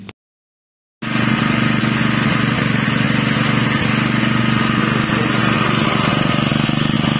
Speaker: friend, the sound for the Honda wb30xh which has been modified to become heavy LPG fuel, in my personal opinion, for the sound itself, it is almost the same as the gasoline fuel itself,